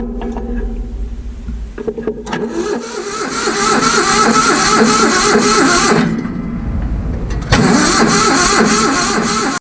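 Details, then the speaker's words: Vintage Hydra-Mac mini skid steer engine cranked in two long bursts via a starter button, turning over evenly with no firing; the starter button is worn and ignition-switch wiring is uncertain; it turns over but won't start. "We know it turns over now. It's kind of cool."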